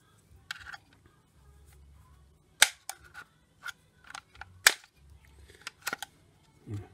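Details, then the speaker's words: 2013 Ford Fiesta rear door latch actuator during repair, bench-tested: crisp, clean snaps as the latch catches and releases with firm engagement; now nice and tight, previously just fell over. "There we go, and it's nice and tight, latched in."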